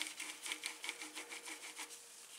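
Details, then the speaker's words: 2012 Trek Navigator 2.0 after replacing the Shimano freewheel rear hub and setting bearing cone tension: light even freewheel ticking about five a second as the wheel spins, no grinding, smooth quiet bearings. "now we have quiet wheel bearings I can still hear it but it's not grindy and when I feel it it's not grinding smooth"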